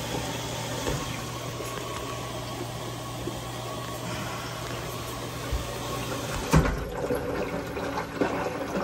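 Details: GE front-load washer model GFW430SSM1WW during test run after fixing a hose leak: steady hiss of water filling with low pump hum, no drips or spurting; fill sounds normal, leak fixed.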